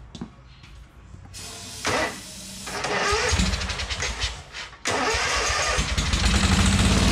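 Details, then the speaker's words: 2003 Wright Stander fixed-deck mower, 23 hp Kawasaki V-twin, fuelled makeshift into the carburetor due to a fuel-tank grommet leak: a few cranking bursts, then catches and settles into a strong, steady beat; normal running, nothing wrong with the motor. "There ain't nothing wrong with that motor."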